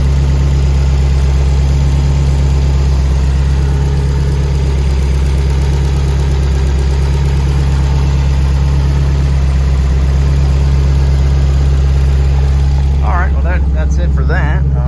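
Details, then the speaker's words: 1998 Subaru Impreza 2.5RS Coupe with a full STI swap, just after a new HKS timing belt kit and clear timing covers were installed: flat-four burbling at a smooth, steady idle with no ticking, slapping or belt whine; a normal idle. "still a little nervous when you crank it up and you didn't do everything right but seems to be running fine"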